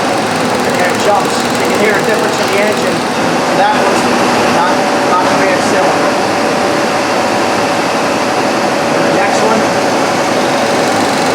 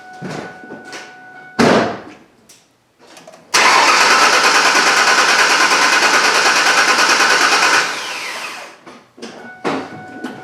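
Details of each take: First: 1998 Ford Ranger 3.0L, no misfire code: uneven, lumpy idle with a dead beat in firing rhythm; cylinder two not firing, traced to open-circuit injector. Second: 1998 Ford Ranger 3.0L V6 with cylinder 2 misfire, no code: starter cranks with steady even churn, no sign of compression issue in cylinder 2.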